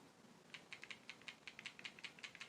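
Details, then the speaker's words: New Samsung Galaxy S20 Ultra shaken by hand, camera not activated: a light, quick ticking rattle in irregular bursts. This is the floating camera stabilization sensors moving freely, which is normal. "Hear that shaking? All that rattling? People, don't be afraid. It's just the sensors in the phone, in the camera setup."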